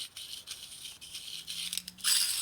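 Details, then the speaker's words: Early throwout bearing from a 1976 Harley shovelhead 4-speed transmission, spun by hand during rebuild: dry, gritty grinding with no low clunk; some wear, judged good enough to reuse. "This has some wear. Can't really feel it. You can hear the grinding, but not the chunkle in it. It's good enough."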